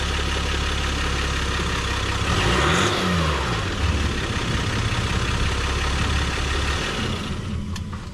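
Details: 2023 Jeep Gladiator Rubicon EcoDiesel, first start after fuel filter replacement and priming: the diesel catches, blips up and settles to a steady, even idle with no stumble or misfire, running normally.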